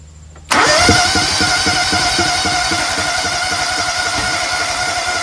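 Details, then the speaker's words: Toro Z-Master with a rebuilt Kohler EFI engine, injector cleaned and misting, fuel line primed to 40 PSI, valves checked: the starter spins steadily with even compression pulses, but the engine never catches; it cranks without starting even though both sides have spark. "Nothing. Why won't it start? See if we get spark on this side."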